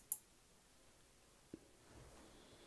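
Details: DIY observatory dome automation prototype (LesveDomeNet), relays switching dome motor power and direction: very quiet room, then one soft dry click as stop is given, relay dropping out cleanly; normal relay click.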